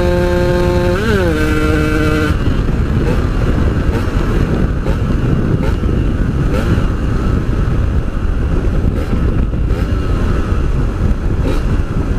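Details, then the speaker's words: Yamaha RX-King two-stroke motorcycle, previously stuttering at high rpm while riding, after fixing a loose wire and resoldering at the stator coil: steady pull at high revs on the road, no stutter or misfire. "guys udah enggak ada brebetnya lagi di atas engg"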